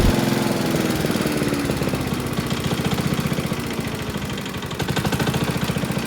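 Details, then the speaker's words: Honda self-propelled lawn mower, about 590 hours, running with a heavy steady knock like a big-end bearing, from a cracked blade carrier disc wobbling on the crankshaft; fix is replacing the disc. "now that causes that whole disk to wobble when the crankshaft and causes that bad knocking noise"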